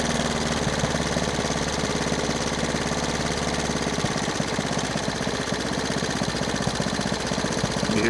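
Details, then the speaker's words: Three-wheeler single-cylinder engine with a newly rebuilt carburetor, timing adjusted: steady idle whose even putter slows a little as the idle screw is backed out, now running better. "You hear it idle down a little. It's doing a lot better."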